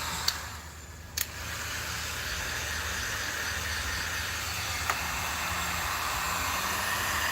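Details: Force .25 CNC nitro RC engine, first start and break-in: steady buzzing at a constant idle with a few sharp clicks early on. Normal break-in run while warming up.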